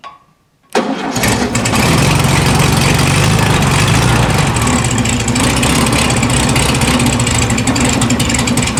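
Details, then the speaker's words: 1974 VW Super Beetle convertible, cold start with twin carburetors: catches after a second, then fast, slightly uneven idle with one side's carb lagging; carburetors out of sync, linkage and crossover to be adjusted. "that carb seems like it is lagging a bit let me shut her down yeah cold star fires up pretty good this side sounds like it's lagging just using the old ear dynamometer"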